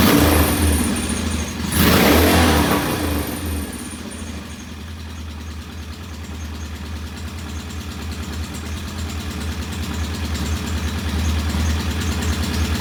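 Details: Norton P11 vintage British motorcycle twin, first start after carburetor fully disassembled and old dead gasoline replaced with fresh; a rev blip, then an uneven, lumpy idle that never smooths out; one carb's pilot jet not following adjustment, suspected partly blocked.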